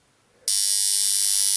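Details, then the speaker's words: Doorbell buzzer powered by alternating current, held energized: harsh high buzz holds steady while the strip vibrates back and forth instead of sticking, because of AC supply; normal continuous buzz. "sonido se produce ininterrumpidamente y eso aquí si funcionará igual que el tiempo musical se debería de quedar la lámina pegada pero no la lámina mantiene un movimiento de vaivén y eso es debido a que lo estamos alimentando con corriente alterna"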